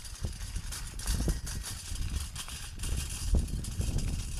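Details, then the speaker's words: Unloaded bike trailer being towed: irregular light clicks and taps over low rolling rumble from loose split pins rattling in the hitch. "the only way I know it's there is cuz uh the split pings rattle as you'll hear in a minute"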